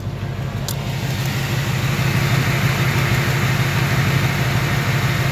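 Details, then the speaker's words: 2018 Ford Mustang GT 5.0 V8, cold morning at 28°F, idling: fast, fairly even valvetrain-type tick over the exhaust, loudest yet and coming and going; cause unknown, oil sample sent for metal analysis. "So I mean, it's really loud. This is the loudest I've ever heard it. Listen to that thing. I can't believe how loud it is. I'm kind of shocked."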